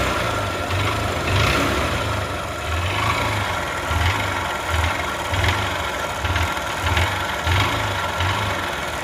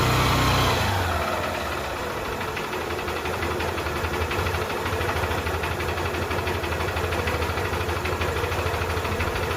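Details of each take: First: Single-cylinder bike at 16,000 km (meter faulty, earlier repaired) idles with a dull, irregular knocking thump over a rattly top end. Oil is badly blowing past the piston and back into the silencer, pointing to a worn cylinder bore. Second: Bike engine after repair of a cylinder bore that failed by 16,000 km, with silencer cleaned and everything reassembled: steady, even idle of about three pulses a second, no knock or rattle; now running very smooth, normal idle.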